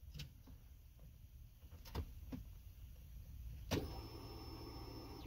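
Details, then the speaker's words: 2006 Kia Spectra no-start being diagnosed; microphone inside car, key on: steady high electric whir for about a second and a half, fuel pump priming normally, so likely working and spark should be checked next. "okay so I'm inside the car am I turn the key on do you hear that you could hear it where it started pumping like the pump was working"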